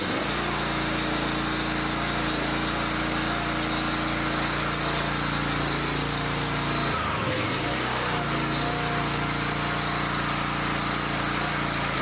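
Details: Taryl's log splitter small single-cylinder engine, pull-start rope just restrung, choked at start: fires up and settles into a steady, even run with a brief stumble midway; sounds healthy.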